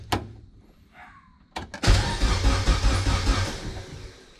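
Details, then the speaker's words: Honda CRX AWD swap project whose ECU is completely blank with no tune loaded, ether sprayed in. A short burst of even, strong cranking that never fires: crank no start, no spark; the motor turns over healthily and the blank ECU gives no spark. "now that to me sounds like a nice healthy motor it's turning over um i was gonna spray some ether in there and i did spray ether in there and then i started thinking about oh yeah there's no spark there's no nothing because the ecu is completely blank"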